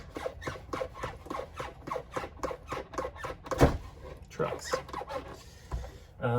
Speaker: what is that noise what is that noise that's annoying all right let's fix these squeaky